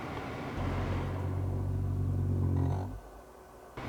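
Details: Lexus CT 200h A/C blower fan under the passenger glove box, old, previously repaired unit, spinning down from maximum speed: a low, uneven grumbling hum that fades out. The rough motor is being replaced with a new fan.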